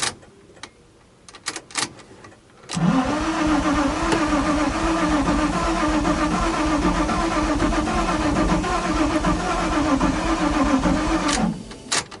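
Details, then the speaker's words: Nissan 350Z that was flooded and sat over a year, after installing the wiring harness and heater box and before fitting the mass air meter: several seconds of steady cranking, the engine fires momentarily, then stalls and falls quiet. "It ran for a second."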